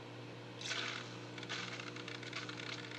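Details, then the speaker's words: Pico Reef Evolve 4 aquarium main pump after six months: steady hum under bursts of rapid crackly clicking, constant, caused by the overly restrictive outlet flow restrictor holding back water; fix is removing it and Dremeling it out. "my one complaint with the main pump though is it's noisy it makes this clicking noise and to fix that though I have figured it out this restrictor that directs the flow pop it off"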